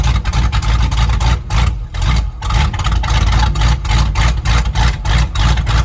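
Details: 1997 Ford F-250 V8 revived after sitting for years, straight-pipe exhaust, cold day, oil pressure gauge reading none (possibly just the gauge): deep, loud barks rise and fall cleanly with the throttle, no misses; runs well and very loud.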